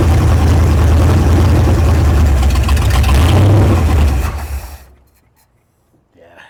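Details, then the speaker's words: 1973 Mercury Cougar 351 Cleveland V8 after timing set, first start: steady, slightly lumpy idle about four seconds then stalls; not pulling fuel, suspected bad fuel pump to be replaced. "it's not pulling fuel okay oops my battery fell well I'm happy with just that so cool now it sounds good um I guess I'm changing that fuel pump"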